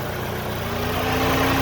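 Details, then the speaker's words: 2000-2007 Ford Focus (2.0/2.3L) after radiator and cooling fan assembly replacement, at normal temperature with max AC on: the fan kicks on with a steady, even whir over a smooth idle. Both fans are spinning normally. "hear our fan has kicked on you see that spinning and hard to tell but that one's also spinning as well so we should be good"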